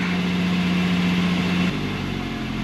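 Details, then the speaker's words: Mercedes 220CE W124, cold start with the MAF sensor unplugged: rough idle climbs then sags back around 1100–1200 rpm, revs wandering; same as plugged in; engine cuts out, owner suspects shorting degraded wiring. "and back down this is what it doing before so no different to when it's plugged in around about 1100 1200 rpm there"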